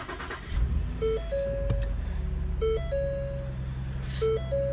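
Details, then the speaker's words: 2015 Ford Taurus 3.5-liter V6 that cranked but wouldn't start or stalled after seconds, at -4 degrees, after replacing a control module: engine catches and settles to steady, even idle with dash chimes; check engine light out; normal start. "Well, check engine lights out. Let's see if it runs for more than 5 seconds. And lo and behold, the car's still running."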